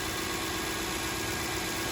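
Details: 2007 Toyota Sequoia that wouldn't start and nearly stalled, now charging correctly (13.93 V); owner first suspected idle air control valve or dirty throttle plate; smooth, constant idle hum holding speed without dips or hunting; normal idle.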